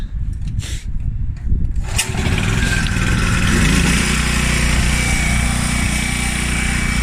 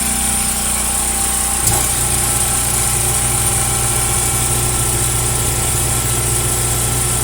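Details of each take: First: Washer that had a grinding noise and no spin, after replacing the faulty part: on diagnostic startup, after some handling clatter, the motor comes up to an even, steady low hum with no grinding or knocking. It runs smoothly. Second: Top-load washing machine with grinding complaint, tested in agitate: a click, then steady unloaded motor hum that never changes pitch or pulls down; motor freewheeling because the motor coupling is broken; transmission looks fine.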